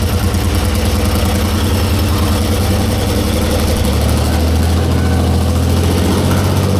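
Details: 1944 Cleveland 3-268A two-stroke diesel after fuel-delivery fix: ragged start running on one cylinder, then two and three pick up at once into a deep, even beat; all firing cleanly at idle.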